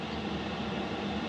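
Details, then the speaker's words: Diesel heater installed in a VW Vanagon, at maximum setting 10 of 10, drawing about 3 amps from the batteries. Steady, even roar of blower and burner, no surging, ticking or rattles: normal running at maximum output. "So that's running full tilt. That's as noisy as it gets."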